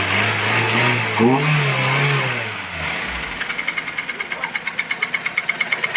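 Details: Toyota 1SZ-FE engine, not yet warmed up: after a blip, a sharp regular metallic knock about three per second; teardown found cylinder 4's piston scuffed and nearly seized.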